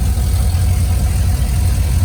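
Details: 2001 Silverado 5.3 V8 with turbo kit, after replacing the blown driver's exhaust manifold gasket with a metal one and adding a turbo blanket. Deep, smooth burble steady at idle, no ticking or puffing from the manifold: normal idle, leak fixed.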